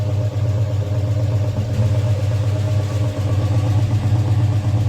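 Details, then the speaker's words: A 1965 Chrysler Valiant AP6 six-cylinder, fairly warm and after cooling work, idles with an uneven stumbling beat and dips, as if a cylinder drops out now and then. It is an intermittent misfire; the owner suspects the spark is cutting out and will check the plugs for wetness. "Now I can hear from the tone. I might be able to hear that sort of blipping. Oh, the spark's cutting out."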